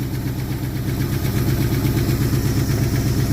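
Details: 1974 Ford F100 V8 parked 21 years, running with known vacuum leaks and noisy valvetrain: low, lumpy idle with uneven beats around 165 a minute and a stumbling rhythm. Rough idle, possibly from the vacuum leaks.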